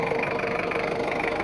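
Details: Ford Ranger 2.5 diesel double cab, previously overhauled with power loss, compression leak, oil seepage and odd noise, now repaired, adjusted and road-tested, at working temperature: steady even diesel clatter at idle, no misses or knocks, no leaks. Normal idle.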